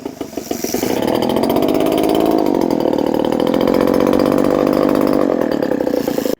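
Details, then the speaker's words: Leaf blower small two-stroke, started after replacing gaskets and seals, primed and choked: revs and holds a harsh, raspy, very loud buzz as if no muffler; muffler has a big hole. "this one has a big hole in it and it's really loud and it's annoying the original hole was right there and this one makes it like it's basically it basically sounds like there's no muffler on it"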